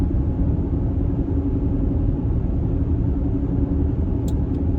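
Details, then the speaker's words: 2014 Mercedes-Benz GL350 (X166), about 93,000 miles, driving: steady low cabin roar with faint droning hum; left rear tire badly worn on the inside; owner hopes tires and alignment, wheel bearing not ruled out. "so the roar from the tires. And I want to say that these pauses are somewhat deliberate so that you can hear it too. I am hoping that it is just tires and an alignment."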